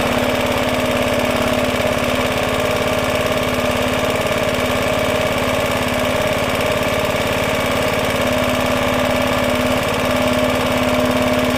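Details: Roughly 70-year-old Suffolk Super Punch 17-inch cylinder mower, SIF 75cc cast-iron engine, running on oil-petrol mix after carb and points clean, microphone fitted; constant even buzz, steady pitch, regular firing, no stumbles or surging; healthy normal running.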